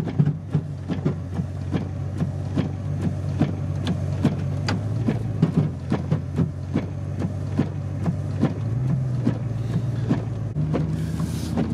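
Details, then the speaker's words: Pickup truck in four-high via the actuator, driving: irregular sharp clicks about once a second over a low engine drone, something skipping in the drivetrain; owner suspects the front end rather than the transfer case, not confirmed. "well sure feels like it's engaged oh that's the change skipping"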